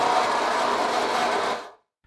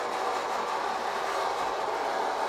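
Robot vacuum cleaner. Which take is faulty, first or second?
first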